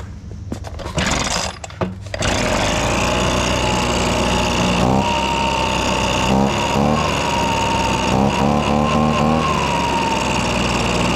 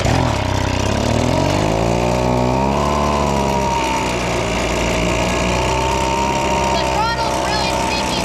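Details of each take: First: Abandoned two-stroke leaf blower after freeing a stuck throttle that held it slightly open: after a couple of rough blips it settles into a steady, even high-pitched drone, running normally and much better than at first. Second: Old, abandoned Echo leaf blower, a two-stroke: revs climb and hang high instead of returning to idle, even with the trigger untouched. The throttle is sticking; the planned fix is silicone lubricant on the trigger.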